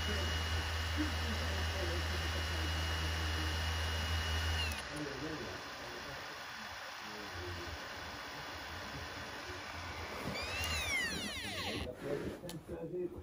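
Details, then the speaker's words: PS4 disc drive after cleaning: quiet steady spin with faint high whine and low hum, no hesitation like before, decent speed; reads the disc normally, fix successful. "it's powering up now it's running it's not hesitating like before it's actually running that's a decent speed so that sounds like a good fix if you okay there you get the sound of that that's what it should sound like when it's actually reading the disk"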